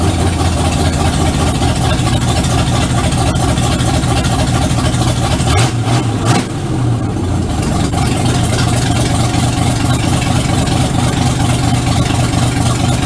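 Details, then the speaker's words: 1951 Ford F1 rebuild, owner-built V8 on first start in the truck, no exhaust or oxygen sensor fitted yet, so running a bit rich until it learns new fuel tables: steady idle with slightly uneven low pulse and brief stumble; rich-running idle. "I don't have the oxygen sensor installed they don't have any exhaust to install it in yet so it's running a bit rich until the Tillett learns a new set of fuel tables but that's fine for now"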